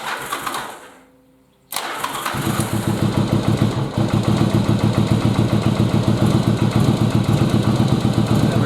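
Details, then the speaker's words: Yamaha XV1100 Virago V-twin after carb removal and reinstall, a stuck float had flooded a cylinder with fuel which was then purged; short crank, fires, lumpy uneven idle about three and a half pulses a second, air-fuel not yet adjusted. Engine starts and runs. "now let's crank it over and see if it'll actually fire up, if that cylinder's dry enough that it'll fire up now."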